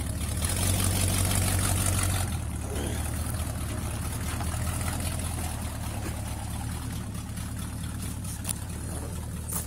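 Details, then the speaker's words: 1965 Ford F100 with a tired, well-used 390 V8, 289 carburetor and small-block intake: loose, deep lumpy rumble with a ragged puff about three times a second; extremely bad exhaust leaks, but it starts every time. "Tired 390, extremely bad exhaust leaks, a 289 carburetor, and a small block intake manifold. Starts every time though."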